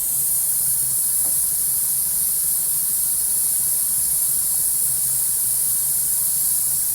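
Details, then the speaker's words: 45-year-old Vauxhall Royale coupé with a rebuilt 2.8L engine, running hot after a cam run-in: a loud steady hiss over a faint engine hum as the coolant pressurizes and blows out the top hose. The owner suspects a clamp; unconfirmed. "Yeah, I think it's pressurizing. [Music] [Music] blowing out that top hose."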